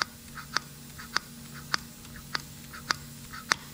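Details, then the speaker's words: Honda ATC three-wheeler, choke open, camera at the carburetor: crisp light clicks about every half second as throttle is worked, slide seating cleanly; normal carburetor slide operation. "i want you to listen for the carburetor slide you can see it going up and down in there probably hear that little"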